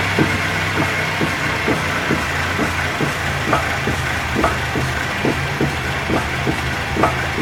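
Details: Raceland coilover strut that failed early, later replaced under warranty: sharp knocks about once a second over steady road rumble, hitting irregularly with the bumps; worn coilover strut clunking.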